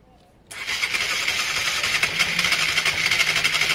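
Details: Honda Varadero 125 being revived after spark fixes, on the stand with choke and a little fuel in the carbs: starter spins it at about four pulses a second with a bright whirr and no sign of catching.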